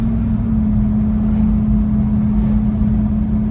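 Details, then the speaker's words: 1972 GMC shop truck after an LS swap (it earlier made an awful noise), cruising around 76 mph on a 103°F high-desert day: a steady low drone with an even hum. Runs smooth and quiet. "But it runs good, nice and quiet, drives nice."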